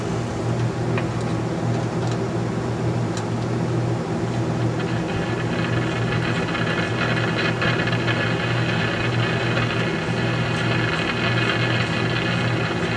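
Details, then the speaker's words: Philco 50-920 tube radio after capacitor replacement and DeoxIT on volume control and tube sockets: steady hiss and crackle over a low hum with no programme, still getting noise; weak tubes possible, cause not found. "sounds like I'm just still getting noise"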